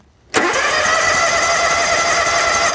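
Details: Lawn tractor/mower cranking during voltage-drop tests from battery to solenoid, reading about 0.1 V: strong steady starter spin with even whine, no dragging or clicking; starter circuit cranking normally.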